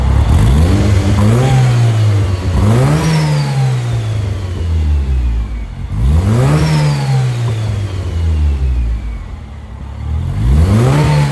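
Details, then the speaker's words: 2000 Porsche 911 Carrera 4 with Honda K24 swap, newly built exhaust, before ECU and dyno tuning: repeated clean blips rise and fall smoothly from idle, crisp exhaust, no misfire, clatter or hesitation; normal free revs. "But for now, why don't I lower this car back down, get it up and running so you guys can hear how it sounds."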